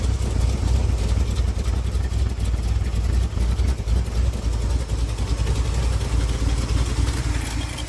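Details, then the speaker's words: 1987 Chevy S10 with a 305 small-block V8 at a steady, even idle with no stumbles, on first start after replacing the failed mechanical fuel pump and filling the carb bowl; it had died while driving; fuel delivery sounds good and the engine runs healthy. "Two-year problem over a $20 fuel pump. Take her for a quick little run down the road."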